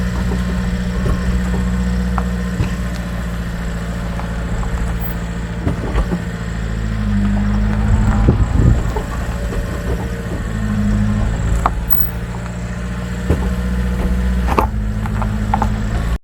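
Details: Subaru Sambar small truck running after a small stone jammed between brake backing plate and rotor was removed: steady low hum, no scraping or squeal. Normal running, no brake noise.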